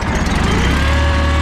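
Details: John Deere 318 lawn tractor after no-start fix (battery terminals cleaned, oil full and recently changed), started on the key: quick crank, catches at once, settles into steady even idle hum with no stumble; normal.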